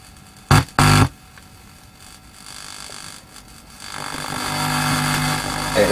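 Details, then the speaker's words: Sinclair Z50 vintage DIY amplifier module tested at low power, mono, grounds and signals joined: sharp pops then steady hiss and hum swelling after a few seconds; noisy output, hum accepted for initial testing, cause not pinned down. "we've got a bit of home there but we can live with that for a row for initial testing"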